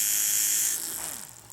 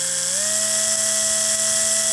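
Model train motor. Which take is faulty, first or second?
second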